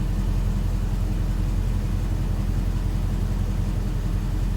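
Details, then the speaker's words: 1969 Dodge Charger with 6.4 Hemi swap, fully warmed up: radiator fans kick on at about 210.2°F via a new 210°F-on/190°F-off coolant switch and owner-wired relay; steady even rushing drone, no rattle or surging. Temperature then drops; overheating from fans not coming on is fixed. "All right, so it took a little bit, but I can hear the fans going. 210.2, it hung around there for a little bit, and then they finally kicked on."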